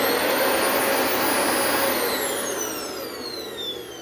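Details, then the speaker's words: Refurbished Dyson vacuum sound test: smooth high-pitched motor whine holding steady then falling evenly as it spins down, no grinding or rattles; normal motor running. "Boy, she's all revved up and ready to go, isn't she there?"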